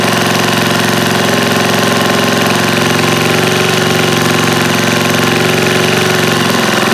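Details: Old eBay generator small single-cylinder engine, after fuel pump check, chugging fast and fairly even, staying running only with choke on; carburetor still needs work, governor suspected not regulating speed.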